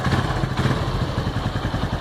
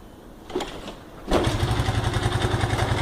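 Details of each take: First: Honda Pop 110 after engine repair (power parts replaced): small single idles with an even, steady thump and no tapping or knocking; quiet, healthy engine. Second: Honda Pop 110 with 34,000 km arriving with an engine-noise complaint: a couple of short tries, then the single catches and runs with a busy, rattly clatter; worn cylinder and slack cam chain.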